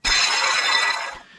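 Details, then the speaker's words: Van ("Blue Bomber", OEM Chrysler water pump) removed, leaking coolant: harsh gritty rasp as the pump is spun, fading as it slows; noisy at high speed; worn water pump bearing grinding. "when that's spinning really fast, it was pretty noisy."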